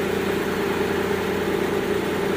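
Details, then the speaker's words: Mitsubishi Galant V6 with misfire codes 21, 53, 41, steady smooth low-hum idle without misses after no-continuity wiring was repaired and spark restored to cylinders 3 and 6. Normal idle. "oh mga kampa umandar na yung ano na okay na ganda na yung andar niya no"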